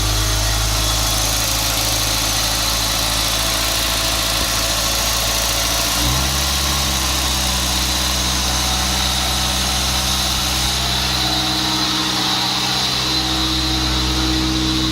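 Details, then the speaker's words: VW Gol G3 with TBI throttle body, engine running: high, busy idle that shifts step-wise under a steady singing tone that never stops; owner suspects the throttle body idle control is hunting, not confirmed. "dá pra ouvir um barulho estranho ele já ela não para de cantar"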